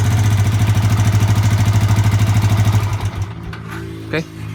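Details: Yamaha Vixion (same engine as Jupiter MX): rapid, even ticking that follows the throttle, from piston slap caused by a worn, shrunken piston in a worn bore, not the valves; radiator removed.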